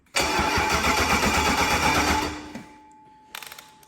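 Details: BMW E36 with swapped V8, first start after earlier crank-no-start: engine catches and runs rough about two seconds, dies away, then a quick string of sharp pops, a backfire on start; cause suspected, not confirmed, injectors removed afterwards.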